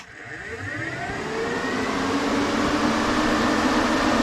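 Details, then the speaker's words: 1986 GMC Sierra 3500 dually, new 3-core aluminum radiator with electric fans, ignition on, fans wired through switch: fans spin up from a stop to a steady, even rushing whoosh with faint hum; normal operation. "and those fans are choing so it does work it works well"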